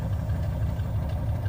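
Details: OBS GMC Yukon running on a relocated two-door gas tank: low, even throb at idle with a steady pulse, no ticking or misses; normal idle.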